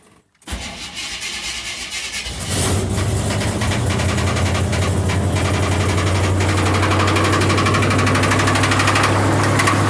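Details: Engine on a cold start catches and settles into idle with a fast, even tick of about four per second; a little lifter tick is suspected but not confirmed.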